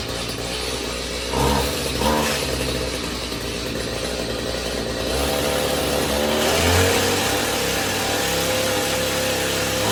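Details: Stihl HS45 hedge trimmer two-stroke, after repair (clogged carburettor jets cleaned; main fault was a blocked spark arrestor causing exhaust back-pressure): buzzy note picks up and settles as throttle is blipped, revving freely without bogging; now runs properly.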